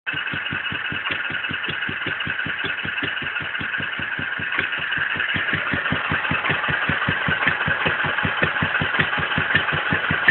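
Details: Wolseley WD2 first fire-up after rebuild: single-cylinder thumps firing evenly about two to three a second, speeding slightly as it warms; clean, steady normal running.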